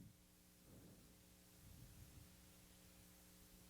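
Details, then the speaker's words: 1970s Rivarossi N scale 0-4-0 locomotive on test leads after its old motor was replaced with a brand new one: very faint, steady low hum with no clicks or surging, much quieter and smoother than before. "Yeah. Not only is it quiet, but it's a lot smoother and nicer than it was too."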